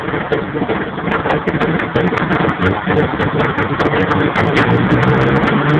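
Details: 1992 Mitsubishi 3000GT VR4: idle stumbles unevenly with irregular popping pulses and rough revving; the engine is misfiring on at least one cylinder.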